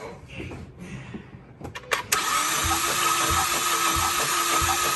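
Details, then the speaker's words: Ford Focus ST engine compression test while cranking at about three turns per second: uneven beat with one stroke lacking resistance; zero psi, no compression on cylinder one, the suspect cylinder. "all right quick that is zero psi of pressure all the way here zero compression on cylinder one"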